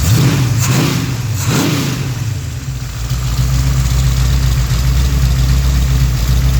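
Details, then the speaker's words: Rebuilt Pontiac 428 V8 for a 1966 GTO: 1966 tri-power (3x2 carbs), #62 D-port heads, DSS forged dished pistons, 9.5:1 compression, pump gas; two crisp throttle blips rise and fall cleanly, then settles to steady idle near 750 rpm; snappy throttle response, healthy. "And of course, like all of our engines, the throttle response is pretty snappy on this thing too."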